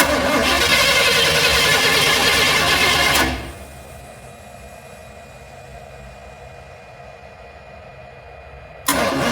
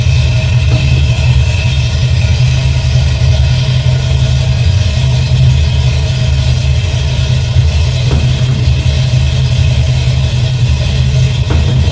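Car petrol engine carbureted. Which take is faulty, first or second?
first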